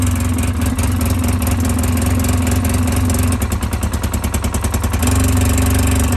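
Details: 2010 Polaris Ranger 800 XP EFI twin, code 652 5 PTO-side injector open/shorted, reproduced on startup: rough uneven stumble midway then smooths; typically vibration-worn injector harness, epoxied on so injector and harness must be replaced together.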